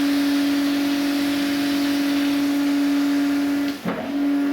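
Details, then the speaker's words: DAB Jet 102M pumping station with 1130 W single-phase motor, fed from a 50 L barrel, outlet valve closed: steady motor hum that cuts off abruptly as pressure builds, then restarts as no check valve lets water drain back; normal pressure cut-off. "станція створює тиск вимикається чому вмикається тому що між ємністю та насосом немає зворотнього клапану сюдою знову ж рідина після того як станція вимкнулась повертається бочку тиск падає вона вмикається Тобто це нормальна її робота"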